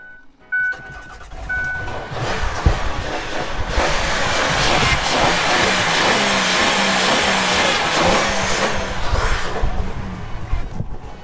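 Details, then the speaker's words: Van just jump-started after sitting unrun for over a year, owner constantly giving it gas to keep it running: engine revs unevenly and surges with throttle held open; rough running after long storage, cause not confirmed. "This thing has not been ran in a while, so I'm having to constantly give it gas, but you could take the box off now and then be good to go."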